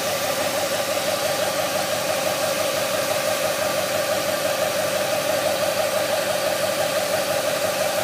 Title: Whining noise from engine bag